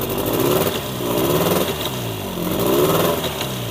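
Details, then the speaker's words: Old Evinrude 20 hp two-cylinder tiller outboard, revived with a B8HS spark plug, idling briskly and firing evenly on both cylinders with no misses; shifts into forward and reverse fine; normal running. "Sounds like it's running on 2, don't you guys think? Forward. Sounds good."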